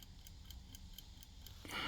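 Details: Discarded clock being restored, regulator adjusted to run fast for now: crisp, even ticks about four per second in a quiet room, steady beat with no skips or drag; the clock runs healthily.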